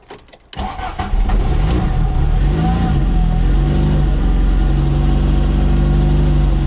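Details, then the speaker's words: VW Mk1 Golf Cabriolet, cold first start after an engine swap and 5-speed manual conversion, with choke reduced. It cranks and catches, then a lumpy low idle pulsing about four times a second. Runs rough cold; the owner says it needs tuning. "Let her warm up. Oh no. Sounds like we need to tune her a little bit."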